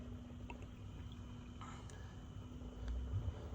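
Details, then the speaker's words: 2009 BMW 328i after water pump and thermostat replacement, electric pump cycled via scan tool to bleed air, cap open: faint steady low hum with gurgling of coolant and air; pump running normally. "I can hear the pump coming oh yeah you see that the pump is shooting Ander freeze it's going to go through phases"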